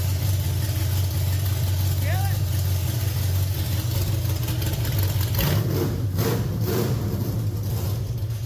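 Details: Budget dirt late model race car V8, two-barrel carb, no throttle spring, slightly smoky. A deep, lumpy but steady idle with no knocks or ticks, plus a throttle blip: normal idle.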